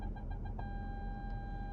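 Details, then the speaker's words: Nissan Armada shifted into drive: quick beeps at about eight per second, then a continuous close-obstacle tone from the front parking sensor. It is a false alert, because only dirt and grass lie in front. "now you hear that annoying sound that is nice to start with it's like hey something's going on now I'm in drive and it rings it back up and see the Red's still there but folks the only thing in front of me is dirt and this sound will not stop"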